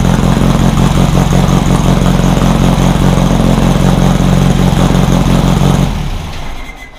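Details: Rebuilt VW 1600 flat-four in a Baja Bug, first start after a two-year teardown, after retarding over-advanced timing: steady, even low burble at idle with no misses, then shutdown; it fired up and ran pretty good.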